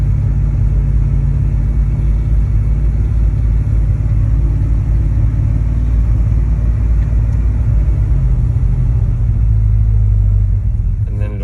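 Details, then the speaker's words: 60-series Land Cruiser with a Chevy 350 V8 conversion: deep rumble that fires, runs about 30 seconds, then sags and dies despite throttle and choke. Idle had been weakening for years. The cause was fuel starvation from a clogged fuel filter, fixed by replacing it. "so if we try and start it it will fire up but then it won't hold idle and it's now got to the point where it won't stay running at all even with accelerator and everything like that"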